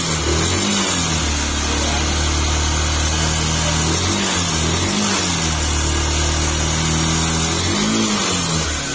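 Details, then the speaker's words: Yamaha YTX 125 engine after repair with cover and new paper gasket refitted, gear found installed reversed; engine revs and settles smoothly, even exhaust note, no knock or rattle, earlier noise gone; normal running, remaining sound only external. "nawala na yung ingay niya bahay lang doun sa ano dati naman daw kasi yan Hindi naman ganyan"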